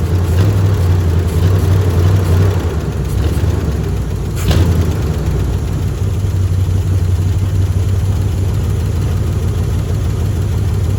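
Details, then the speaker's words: Old open-header 350 V8 started on carb-poured gas with a dry fuel filter, needing a tune-up: loud, deep idle with a lumpy uneven beat and occasional stumble; owner suspects a miss on at least one cylinder. "It's just an old open headers 350 that needs a tune-up and probably missing on at least one cylinder"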